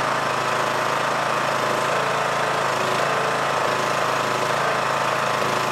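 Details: Yard Machines MTD lawn tractor, 20hp Briggs single-cylinder OHV, first start after magneto bypass for no-spark no-start; steady chug at an even rapid pace, about four beats a second, no misfires, charging 14.5V: normal running.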